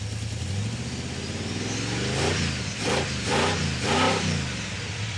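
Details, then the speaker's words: 1970 or 71 Camaro V8 with a new carburetor, after a fuel leak was fixed; revs in slow, soft swells that climb sluggishly, still lazy and weak; valve covers not yet pulled, cause unknown. "Still sounds lazy, doesn't it? Yeah. The only thing we haven't done is pull the valve covers at this point."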